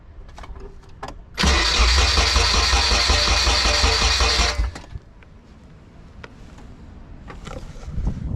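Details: Nissan S13 240SX during compression test and coil pack diagnosis: steady starter cranking at roughly 160 beats a minute for about three seconds, never catching; cranks but won't start.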